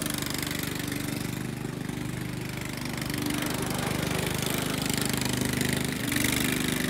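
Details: Restored Jacobsen Chief 800, after fitting a guard to keep the belt from flying off: steady even single-cylinder thump at constant idle with a slight rise, no misses or knocks; runs healthy.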